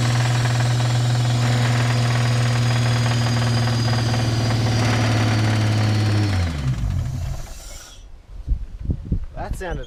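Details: L67 blown engine at idle: heavy regular knock about four per second, stops at shutoff; passenger side consistent, shavings in drained oil; bottom-end damage suspected, not confirmed.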